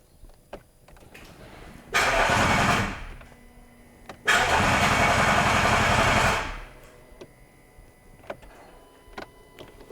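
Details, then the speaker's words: Rebuilt Range Rover L405 3.0 TDV6 diesel, first start attempt, no exhaust fitted: two loud bursts of firing, one and two seconds long, each dying away at once; it cuts out as the gearbox engages, and a new trigger wheel is suspected. "Okay, so the car turns on and then turns off. Did you remove the auto start stop? Is that what? No. But it's trying for louder, for longer, Much longer. and it turns off."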